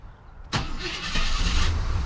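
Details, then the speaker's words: 1990 Jeep Grand Wagoneer FSJ after engine swap and FiTech fuel injection install, cold start at thirty degrees: short crank, catches instantly into steady even idle; normal cold start. "we go hey God love fuel-injection how long would that have taken with a carburetor"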